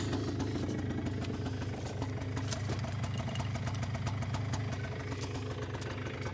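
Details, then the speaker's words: 2001 Polaris Xplorer 250 4x4 quad, just revived with starting fluid: even, low putter at idle with steady rhythm, no misses or knocks; normal idle. "can't believe that that thing sounds great"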